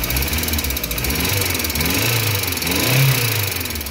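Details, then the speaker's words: VW AP 1.6 G3 flex engine with low oil pressure (3 bar cold, dropping to 1 bar at warm idle), just started after fitting the larger oil filter: fast, light ticking over idle, rising with revs, as hydraulic lifters still tap while they fill with oil. "esses motor aqui é esse maior né ainda tá batendo um pouquinho vamos ver se carrega né"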